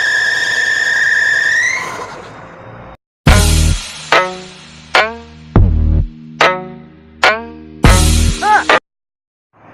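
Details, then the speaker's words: Car at startup: high steady squeal right after turning the key that eases after a couple of seconds; the alternator belt is loose and slipping, and could leave the car stranded. "galera chato esse barulho não é além de chato esse barulho pode te deixar a pé qualquer hora porque essa correia do alternador ela está frouxa então por isso que ela está fazendo esse barulho"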